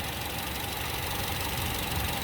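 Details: 2013 Honda City after service with valve adjustment and injector cleaning: faint steady idle under hiss, even in level with no clear rhythmic knock; idling normally.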